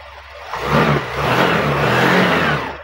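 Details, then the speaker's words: Honda Dio BS6 scooter after a crankshaft position sensor fault was cleared with a V519 scanner and the warning light went off: it starts promptly, revs smoothly and settles without misfire or hesitation, a clean healthy start. "Start ஆயிடுச்சு ஒரு சிம்பிளா வேலையை முடிச்சுட்டோம்"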